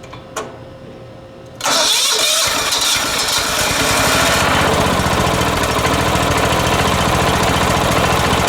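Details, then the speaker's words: 36-year-old Kawasaki FV460V twin on a 1980s John Deere RX95 ride-on mower, carburetor and starter rebuilt, first start: it starts on the first crank and settles into a steady, even beat with no misses or knocks, running smoothly. "all right she sounds good"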